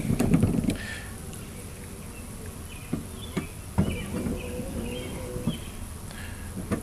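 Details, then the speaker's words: 2006 Chevy Uplander rear wiper motor with seized output shaft (froze at 11:00 over winter), run half an hour after oiling and drilled clean-out holes: uneven buzzing, bogging and catching as it strains; motor got extremely hot. "so it ran like this for a half an hour it was struggling at first its motor get extremely hot"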